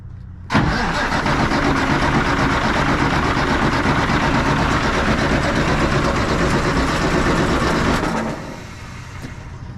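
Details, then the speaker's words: 1965 Kenworth, cranking on a new 12 V starter with the clutch in after the fuel solenoid valve was opened; steady, even churn of about 160 rpm that never catches because no fuel is being delivered. "not getting any fuel to this thing yet"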